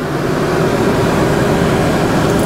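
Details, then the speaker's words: 2014 Itasca Sunova 30A gas motorhome with almost 27,000 miles, engine idling, heard from the driver area. Smooth constant hum with no rumble, knock or surge. Normal idle. "engine sounds smooth now I'm going to move this up so that I can see the windshield from the inside windshield looks good"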